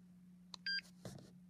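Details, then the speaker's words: MSA Altair 4X multigas detector while the power button is held for three seconds to switch off: short evenly spaced shrill double-tone beeps about a second apart as the red alarm lights blink; normal shutdown countdown. "as you're holding this thing down it's going to beep and all the little red lights you saw in alarm mode up here and down there we're going to blink"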